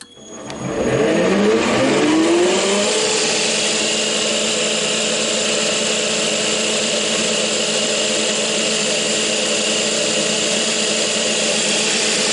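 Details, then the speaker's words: Lathe with newly built bar feed tube stand: spins up over a couple of seconds then smooth steady hum with no rattle or knocking; feed tube works quietly, normal running. "But the feed tube worked fantastic. No noise at all, no rattle or anything, which is very nice."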